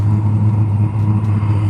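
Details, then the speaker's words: Eberspacher Airtronic D4R heater, after fuel pump starts and burning begins: steady low roar, no rattle or puffing, just even burning, getting quieter; heater running normally. "Yes, so it's getting quieter now. I will also connect the air inlet, as this will make the unit even more quiet. So very, very quiet."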